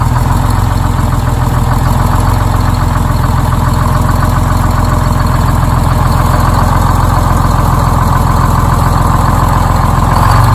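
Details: Detroit Diesel 6-71, started quickly on a cold morning despite a low battery: loud, steady low diesel rumble holding an even beat with no misses; healthy idle.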